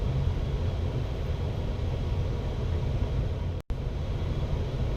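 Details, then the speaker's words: Newly installed home furnace running: steady even low rumble with soft blower rush and no knocks or rattles, owner says listen to it purr; normal furnace operation. "Listen to it purr."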